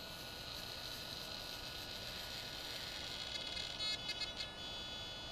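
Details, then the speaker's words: DJI Phantom 2 Vision with its pitch gimbal servo, camera pitched down via smartphone control: thin high whine stuttering in short bursts, noisy and not smooth, jerky compared with the replacement Hitec servo; jerky servo movement with whine. "I'm going to pitch the camera down with my smartphone it's noisy I also noticed that it's not real smooth it almost has kind of a jerking motion to it compared to the high tech"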